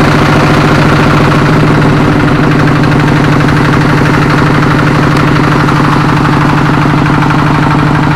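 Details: Kubota RD85DI2S single-cylinder tractor diesel, after repair of worn piston and bearings; complaints were radiator water loss, oil from exhaust and sputtering. Test run after crank start shows strong, regular thumping at steady idle with no misses or knock; running sound.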